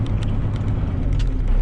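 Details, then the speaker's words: 1995 Dodge 2500 Cummins diesel with NV4500 5-speed, plow truck: deep steady drone with a faint constant hum over the engine; mounts and exhaust ruled out, gears or bearings suspected, transmission coming out. "You can hear the noise. We got to get this transmission out of here."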